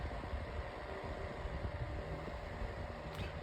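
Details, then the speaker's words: 9-inch Airtek metal high-velocity fan on low: smooth steady whoosh of air with a soft low hum, no ticks or rattles; fan runs healthy, about as fast as another fan on medium. "All right. It has a really nice sound to it on low. I'd say this is about as fast as my Mainstays fan on medium."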